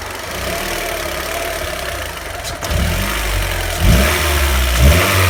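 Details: Petrol engine idle recently getting noisy: uneven, lumpy low rumble with irregular thumps creeping in; abnormal idle noise, cause not clear yet.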